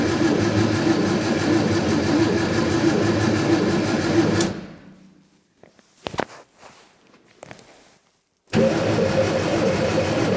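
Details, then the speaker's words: Scrapyard Fiat 600, no keys, fuel possibly not drawn up, brake cleaner sprayed down the carburetor: starter spins evenly about four turns a second, stops, cranks again, no catch; won't start, owner suspects no spark. "right okay perhaps we ain't got a spark shall we test it smells like it's trying to do something"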